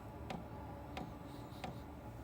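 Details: Webasto 12 V 5 kW diesel heater, brand new, first start with fresh fuel in cool air: sharp even dosing pump ticks about every two thirds of a second over a soft fan hum; normal priming before ignition.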